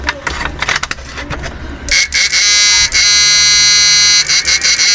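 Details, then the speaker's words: Inverter labelled 128000W, under repair, after swapping in thicker number 16 wire, which was needed because the thin wire gave a weak sound. A few clicks, then a loud, steady high-pitched buzz showing strong full output. "Yan, mga ganyang kataba, alambre, number 16. Bali dito, kahit medyo maiksi lang, maganda na tunog."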